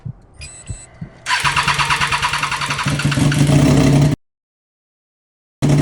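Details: Triumph Daytona 675 started for the first time in 3 months after a wreck rebuild, straight-piped with no muffler fitted: a short crank, then it catches and settles into a loud, raw, steady idle; it starts and runs healthy.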